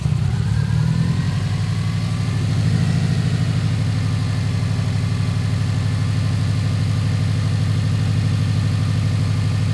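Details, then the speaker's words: Subaru Legacy GT project car on new tune, alternator replaced and AC belt cut off to chase a lingering noise: steady, even idle, smooth low note, no knocks, ticks or belt squeal; everything synced up, normal idle. "everything's synced up it seems to be working good"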